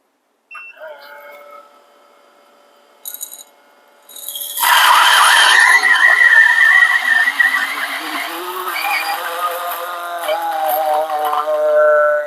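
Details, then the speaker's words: G64 single-dose coffee grinder grinding a 17 g dose: a quiet start, then a loud steady grind, the motor note dropping as the beans hit the burrs. Normal grinding under load. "of course the grinding because this is a brushless motor so the grinder will be trying his best to grind the beans when the bins is dropping so you can see the sudden change of the sound of the motor when the beans is touching the burst right so that's perfectly normal right"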